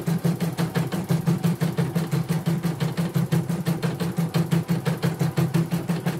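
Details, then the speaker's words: Portable embroidery machine from Sekayu, South Sumatra, in for won't embroider, blank screen, hoop not positioning and dead touchscreen; after mainboard, LCD and touchscreen rework it runs a sped-up one-colour test. Steady even chatter about three stitches a second over a low hum, no knocks or grinding: all sounds normal. "Oke, semua normal. Dari bunyi-bunyinya normal semua. Kita jalankan juga normal ya."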